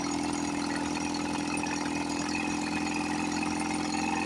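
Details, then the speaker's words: 1954 Johnson 5.5HP two-stroke outboard, revived after about 60 years with magneto reinstalled and carburetor rebuilt; low-speed needle set by turning in until RPM rises, then backing off a quarter turn. Steady, even idle buzz holding speed without hunting: normal idle. "But I always come back and I get control of myself and I get them going. This one sounds really good."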